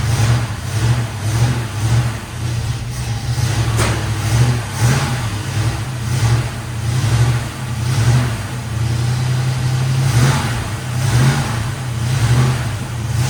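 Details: 1973 Chevrolet K5 Blazer V8, bought with a broken motor and now repaired, out on a test drive after a roughly 10-mile run: deep, even V8 note swelling and easing with throttle, no misses, knocks or rattles; normal running engine.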